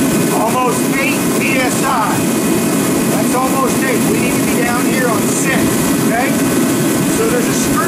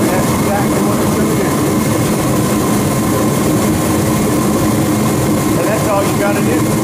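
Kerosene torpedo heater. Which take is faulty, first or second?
first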